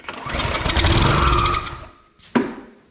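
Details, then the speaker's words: Husqvarna HU 625 HWT string trimmer: engine catches and buzzes about 1.5 seconds then dies; ignition fine, carburetor not drawing fuel, fuel starvation. "She ain't getting fuel. Ain't sucking its own fuel."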